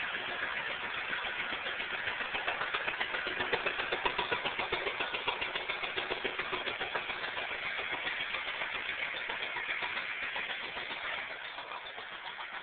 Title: IRL GMS2 Misfire